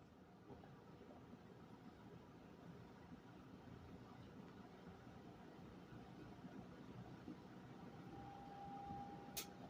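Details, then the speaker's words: 1973 Kmart 20" box fan, model P-23, with its motor air openings completely plugged for years: a low, even hum rising as it spins up, no rattle or scrape, so the neglected fan still runs nearly perfectly. "Despite how neglected it is, it still runs pretty much perfect."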